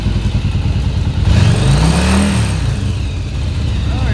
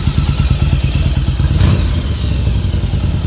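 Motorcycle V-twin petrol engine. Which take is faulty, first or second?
second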